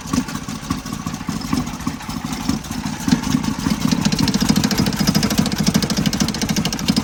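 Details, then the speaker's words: 1977 Toyota motorhome just started after months parked: uneven lumpy idle with a loose buzzing rattle about every half second, from the air cleaner, which has lost its mounting bolt. "Turns out the reason it sounds so bad is I've lost a bolt that connected the air filter to"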